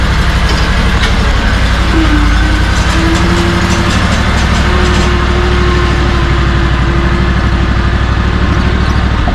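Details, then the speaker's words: SCAG Tiger Cat II commercial mower, 670 hours, just back from the dealer after the same repair a 7th time: loud steady low rumble with an even beat, no knocks or misses; smooth healthy idle. "sounds like she's gonna be good to go, at least for this first yard."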